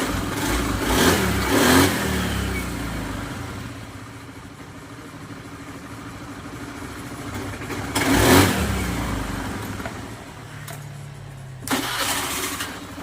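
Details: Honda Beat FI scooter after repairing a broken wire to the ignition switch that caused total electrical failure, no parts replaced: catches and idles steadily, throttle blips rise cleanly and drop back without stumbling; runs healthy.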